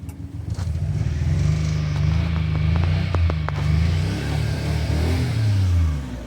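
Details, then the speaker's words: 1991 Daihatsu Mira walkthrough van, 3-cylinder EF turbocharged, intercooled, fuel-injected single-cam engine, just imported from Japan with a weak battery: uneven, lumpy low idle with stumbling beats and pops, a misfire; distributor cap and rotor suspected. "We are now here to investigate if the distributor cap and rotor needs some replacement because it is misfiring. This van is misfiring."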